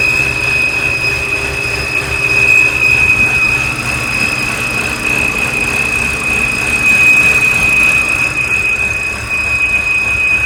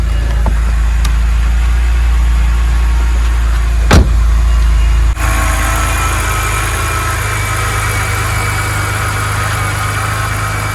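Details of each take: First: BMW E90 N52 petrol engine idles with a steady, thin high-pitched whistle over it; belts were the first suspect, but the cause is a faulty oil filter. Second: BMW E90 N52 petrol engine idling with a steady low hum after replacing a collapsed/torn oil filter that caused a high-pitched whistle; whistle now gone, normal idle.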